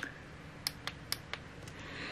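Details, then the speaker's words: Dell laptop that would not turn on because of a broken power button, after the button's connection was repaired and the button reinstalled. Four crisp, positive clicks; the power button now clicks properly. "hear that the power button it's now clicking"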